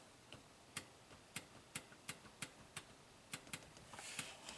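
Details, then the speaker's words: 2015 Toyota Camry with U760E transmission, 125k miles, P2714 shift solenoid performance code and shift/shudder complaints. The SLT shift solenoid is tested at the external harness by jumping to battery negative and gives crisp, regular clicks. It specs 5 ohms and draws 1.2 A, so it works normally. "And if we touch this to battery negative, we should hear a distinct click. Let's try it. We do."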